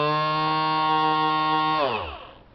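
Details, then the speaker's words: 1975 Datsun 280Z windshield washer pump motor, bench-run on a 9 V battery after freeing the seized impeller and lubricating: clean steady whine, winds down smoothly when power drops; spins freely. "so that spins freely now, and I put some water in the tank, and it works as it should."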